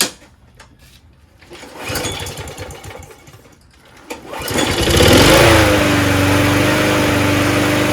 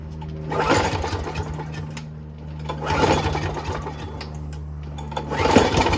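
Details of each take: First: Toro GTS 6 hp Briggs Quantum recycler self-propelled mower after carburetor cleaning, primed: fires after a few pulls and settles into a steady, even drone without surging; normal running (slight hunting later, air filter suspected). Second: Toro GTS snowblower, Briggs Quantum 6 hp, after spraying carb holes without removing bowl: repeated pull-start bursts catch briefly then die; no start, carburetor likely dirty and needs bowl off and cleaning.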